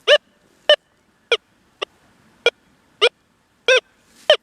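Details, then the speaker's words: Deus 2 detector with 11-inch coil in the Relic program, IAR 4, notch 0–1, over a dime buried 10+ inches deep: eight short bright chirps give a clean repeating target ID tone with the notch active. "Let's see what we get here. Giving an ID on that dime."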